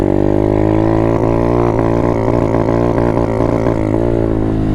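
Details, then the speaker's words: Apollo 125 RFZ Chinese dirt bike, warmed up but still on choke: revs up and holds, then stumbles and hesitates at higher rpm on throttle roll-on, signalling it's time to turn the choke fully off. "so the bike will tell you when it's time to turn the choke completely off you didn't notice it was hesitating a second that's how it'll tell you as you're rolling on the throttle you're hitting those higher rpms it'll start hesitating just like this"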